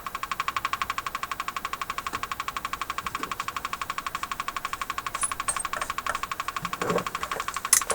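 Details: General Electric KL-70 AM/SW radio after cleaning the push-button assembly switches: steady, even ticking at about four per second through the speaker, like a woodpecker, over a quiet background; cause not yet found.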